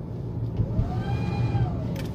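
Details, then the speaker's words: Car engine light came on then went off and the transmission is reportedly stuck in first, yet RPM is normal at 50 km/h; a loud shrill scream-like whine rises and falls with speed and RPM, also present at standstill, a failing turbocharger (engine oil reportedly never changed). "갑자기 뭐 누가 소리 지르는 것처럼 하는 거. 속도 RPM이 올라가면 이런 소리가 나요. 신기한 소리가 납니다."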